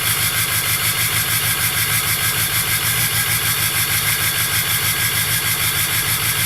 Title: 2005 Ford F350 6.0L Powerstroke START UP and HIGH IDLE Turbo Whistle!